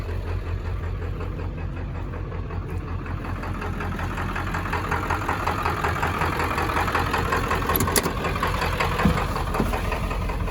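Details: 7.3 Powerstroke diesel, first runs after 10 years, with new oil, oil filter and fuel filter: an uneven, lumpy idle with irregular clatter at about three pulses a second, like a miss; injectors suspected but unconfirmed, sounds fine when revved.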